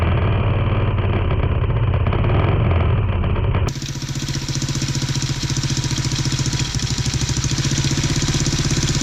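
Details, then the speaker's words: Tao Tao 110cc ATV quad with new carburetor and intake, jump-pack start (owner plans starter replacement): higher revs dropping to quick even putter on choke, before choke put back down; fast idle with choke on. "Hear that, but definitely giving it more RPMs. Put the choke back down."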